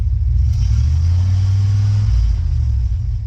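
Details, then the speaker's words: Pickup truck running very rich with heavy smoke, ECM suspected of cutting fuel: deep, uneven rumble surging and sagging before fading out; rough idle. "so it's having an existential crisis right now. I think we should probably turn this off before I gas all of us."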